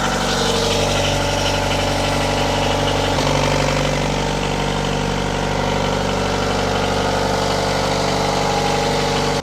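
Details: Diesel, unrun for a while, in forward gear, revved up to 1500 rpm while warming: smooth, even drone with no knocks, misses or hunting. Normal running at 1500 rpm.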